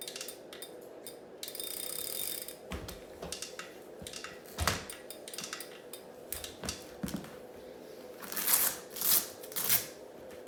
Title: Kickr Core clicking sound